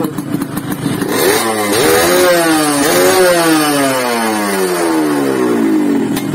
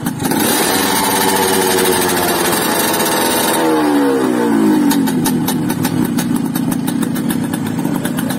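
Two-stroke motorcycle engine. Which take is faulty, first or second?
first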